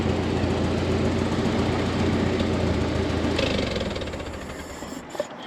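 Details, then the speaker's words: Ford 8N tractor running after sitting for years: loud, throbbing idle with about four pops a second that fades as it settles. Popping exhaust comes and goes; owner suspects it could need spark plugs. "Man, that sounds like it's got race exhaust."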